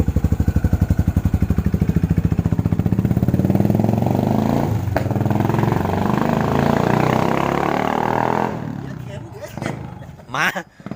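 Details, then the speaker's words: Rarely ridden Yamaha SR400 single that jerks and stumbles when accelerating: the thumps climb with throttle, then stumble and cut out; rust and sediment found in the fuel tank are blamed for the hesitation. "ี่ตันหน้าลูกน้องมันอาการเป็นยังไงสมันมันิดไปแล้วมันแบบกระตุกกระตุอ่ะเวลาเพิมความเร็วอเพิ่มความเร็วนะจริงไงไม่ได้ปลดคันเร่งไม่ได้ปลดอะไรใชอืจะมาใส่เลนซิ่งน้องยันให้เอารถมาให้พี่หมูเช็คครับเพราะอาการมันสะดุดเพราะว่าสังเกตดูถังน้ำมันมันมีตะกอนมีสนิมนะก็เลยามาให้เช็คนะครับว่าอาการเป็นยังไง"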